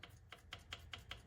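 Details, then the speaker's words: Engine off, rod rocked by hand under the car: light metallic clacks; every rod bearing has slack, one quite a lot, crank feels okay. Rod bearing play is the suspected issue; fix is replacing the rod bearings. "it? That's got some slack too. Let's see here. That's got slack. Every last one of them's got slack. That one's got quite a bit."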